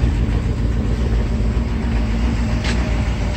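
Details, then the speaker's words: Mercedes 380SL V8 idling with a low rumble that stumbles unevenly, a misfire, after the high idle was fixed by cleaning the air control valve; exhaust problems also noted, hoses old and cracked. "But I had some other problems with its exhaust. But you can hear it. It's got a miss in it."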